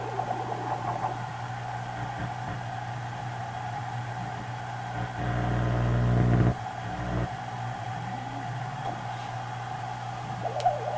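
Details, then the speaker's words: Marconi 201A AM/shortwave radio, weak on shortwave, after a wrong 0.05 µF capacitor was swapped for 50 pF: a steady mid-pitched howl over a low hum. Oscillation; cause suspected, unconfirmed. "all those uh hodin you hear it could be alignment [Applause] problems"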